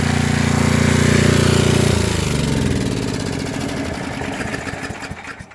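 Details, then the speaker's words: Coleman Powermate 6250 generator just after unplugging an air conditioner it carried for about 10 minutes: steady, even engine drone with no knocks or misses that settles and eases off as the load comes off; normal running. "well I just unplugged that air compressor air conditioner had a load on it about 10 minutes now"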